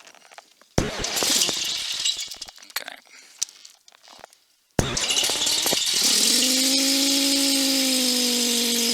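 Once the engine runs, a steady whine rides the intercom and climbs with engine speed, an alternator whine from a radio cable screen grounded at both ends.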